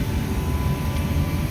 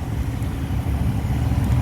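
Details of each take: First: Two-year-old 100-ton Trane IntelliPak rooftop unit: supply blower at 100 percent yet only about 1 inch static, deep steady freight-train roar with no rhythm heard through a 4-story office building; blower overspeed traced to faulty static pressure sensing tubing. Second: Two-year-old 100-ton Trane IntelliPak rooftop unit after repairing cracked static pressure sensing tubing, blower now about 64 percent holding 1.5 in water column: steady, even low rumble, no surging or banging, much quieter than the freight-train roar before; normal blower operation.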